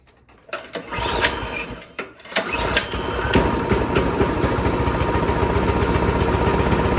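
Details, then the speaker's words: Craftsman SB 425 24-inch snowblower with a quiet-technology engine: after a few pulls it starts and runs fine on full choke, okay at half choke, and surges, hunts and wants to die with no choke. A carburetor problem is suspected. "And you will hear is as I was, full choke, it ran fine. Half choke, kind of okay. No choke, surging, hunting, wants to die."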